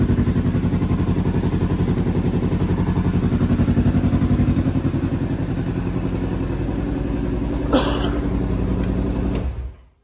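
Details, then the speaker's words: Rebuilt Kawasaki KRX 1000 engine, freshly installed, first test fire without a muffler: steady, even idle with a regular pulse and no knocks or rattles before shutting off; healthy running engine. "Okay, we're gonna test fire it. Remember, this doesn't have a muffler on it."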